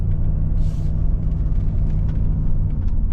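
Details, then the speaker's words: Jeep Grand Cherokee WJ revived from sitting dead in a yard, first road test at about 20 mph through first, second and third gears: steady low engine and road rumble, no whine or growl from front or rear axle bearings; drivetrain sounds healthy. "Man, and honestly, I do not hear front or rear axle screaming. Now, we are only doing 20 miles an hour, but normally, if the bearings are gone, you're going to already hear them at 20 mile an hour, and I don't, so that is amazing."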